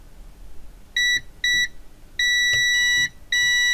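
Clean high-pitched beeps start and stop as the probes touch, with a long steady tone at the end; the circuit has continuity.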